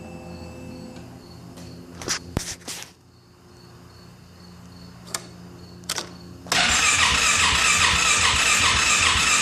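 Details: Polaris Sportsman 570 ATV: a few clicks, then steady rapid starter cranking that never catches; the engine cranks but will not start, cause unknown.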